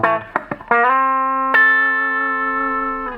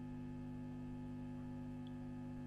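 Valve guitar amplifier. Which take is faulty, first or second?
second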